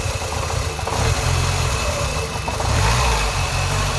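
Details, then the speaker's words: 2000 Ford Fiesta MK4, 1.3 L 60 hp Endura petrol, throttle body sensor unplugged: steady even idle, low hum, no hunting but slightly too high; with sensor connected the idle is unstable and nearly stalls. "là, elles veulent prendre un peu de régime et le ralenti, il est bon mais un peu trop haut."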